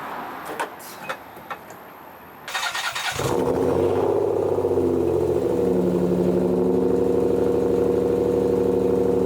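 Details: 1991 Nissan 300ZX V6 starts and idles with a lumpy, uneven beat; misfire traced to a cut ignition harness, shorted PTU and a popped ignition coil; here after fitting a donor PTU, still misfiring.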